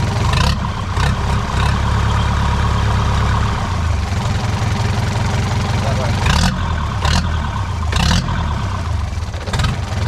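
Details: Boat engine, recently replaced and just started after starter engagement problems and a possibly damaged alternator: low, steady rumble holding evenly with a few sharp handling bangs nearby; normal idle.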